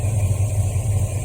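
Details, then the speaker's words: 1973 Mustang Mach 1 V8 with a Holley 750 CFM four-barrel carburetor, in park with the choke manually opened fully and dropped off the fast-idle cam: a slow, even, lumpy loping rumble; normal base idle. "with the choke completely open, and I manually had it open completely to get the drop off the cam."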